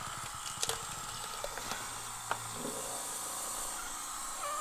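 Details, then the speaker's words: 1969 Corvette C3 with slow headlight doors, vacuum pump applied to the driver's side headlight actuator diaphragm: steady airy hiss under a few handling clicks, with vacuum lost once the pump stops; hoses found misplumbed. Leak at the actuator diaphragm. "and we can hear like a whole bunch of hissing going on"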